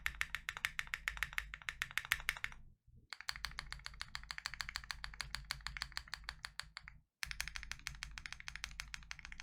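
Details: Full typing test, lubed KNC Keys Tofu Linear (R2) all-nylon long-pole switches in a Freebird60 (gummy O-ring mount, POM plate, silicone dampener, polyfil): fast, even, crisp, deep clacks with short pauses, no scratch or ping. Normal keyboard typing.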